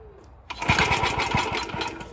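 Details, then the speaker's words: Very early Suffolk Model 1A small engine, still cold, good spark and adequate compression: uneven chuffing pulses while turned over, never catches; no fuel getting through the carburetor, owner thinks. "so obviously we're not getting any fuel through that carburetor I think"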